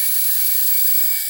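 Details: Nanao MS9 29-inch CRT monitor running: loud steady high-pitched hiss from around the neck board, growing quieter before the monitor shuts itself off; picture flickers; owner unsure whether the flyback is the cause.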